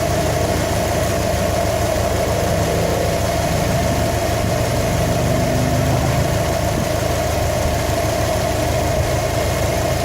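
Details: 2015 Subaru WRX STI engine knock troubleshooting: idling engine with a loose, uneven tapping under the rumble through light revs; knock source not yet pinned down.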